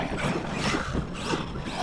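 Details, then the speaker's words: Arrma Kraton 6S RC truck with built diffs, being bashed under throttle: a rapid rattling ratchet over the motor whir; the owner believes the differential is failing. "Something doesn't sound good. Uh-oh. I just jinxed it. I think my diff is going out."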